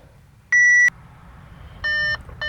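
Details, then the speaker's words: Crash-damaged Audi A4 S line, ignition on while clearing fault codes: three sharp high beeps about a second apart in quiet cabin; warning chime, cause not pinned down. "that noise is going to drive me insane"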